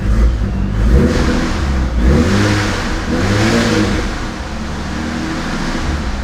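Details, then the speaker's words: Supercharged V6 Mustang on E85 tune with increased boost, still cold, heard from the front: several free revs with clean even note and loud blower whine; healthy. "And then up front, it's a completely different sound. You can hear that blower? It's so loud."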